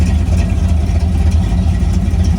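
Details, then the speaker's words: 1972 Chevrolet C10 after a front-end rebuild, new mini starter and Edelbrock valve cover gaskets: steady, even deep exhaust rumble with no ticking or puffing at the manifolds. Sealed exhaust; normal note. "here that exhaust oh guys I am loving this I am loving this"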